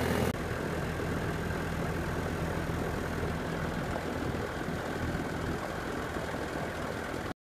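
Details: Central AC condenser on R-410A after a new capacitor and filter and adding 6.7 lb refrigerant, previously compressor droning with fan not running: steady, even hum from compressor and fan, no clicks or surging. Normal running.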